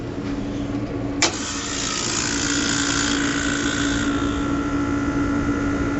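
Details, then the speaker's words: Walk-in beer cooler compressor on 208 V three-phase, after a new catch-all drier and pressure control adjustment, drawing about 4.2 A of 4.7 A allowed: a sharp start click, then a steady, even drone with no rattles or straining. Normal compressor run. "so it's running four amps and you're allowed to run 4.7 so we're running 4.2 we're gonna let it run for a few minutes"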